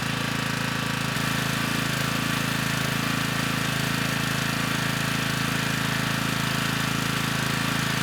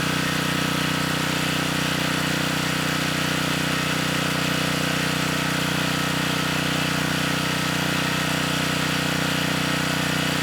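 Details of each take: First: Generac 3500 W generator, GN220 single-cylinder engine, after broken carburetor jet was replaced: even, fixed-pace thumping with no surging or hunting; started with choke off, reached speed, little smoke, running healthy. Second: 3500-watt Generac generator (model 01313-0, GN220 engine), bought non-running status unknown, running unloaded while governor speed is adjusted; steady single-cylinder drone with even beat, speed off target, later set to just over 61.5 Hz at 121 volts no-load.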